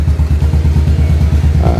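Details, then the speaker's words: Honda Shadow motorcycle after repair of its CDI, whose resin had melted from three overheating transistors: runs but limps with a low, lumpy thump, two front cylinders firing, two rear dead as the carburettors aren't feeding fuel. "Ini motor udah bisa hidup dan tetapi masih agak pincang ya. Ini problem di karburator. Problemnya di karburator, dia nggak ngisi. Ini hanya yang bunyi itu 2 silinder di depan, 2 silinder di belakang itu belum nyala ya."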